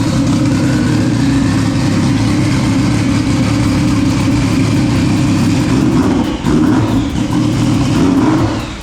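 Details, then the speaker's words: Fully built turbo Sea-Doo engine, intercooler and piping kit freshly installed, first run: steady, even engine drone with no knocks or rattles as the turbo heats up; sounds good, runs healthy. "[Music] Sounds good. All right. Well, we got some heat in the turbo now."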